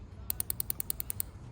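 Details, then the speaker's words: Ignition coils on a drag race car being tested one by one after its burnt wiring harness was repaired: ten sharp, evenly spaced snaps about ten a second over a quiet background; the coils are throwing strong sparks and working. "they're sparking they were Mr Sparky so that was good uh everything seems to be working"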